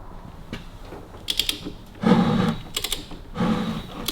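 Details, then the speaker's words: Hudson straight-eight engine turned by hand, no compression with suspected stuck piston rings: slow cranking with light mechanical clicks and a soft airy hiss puffing back through the carburettor about every second and a half. "It would probably loosen itself up if you fired it up. It's doing something because you can hear it hissing back out the carburettor."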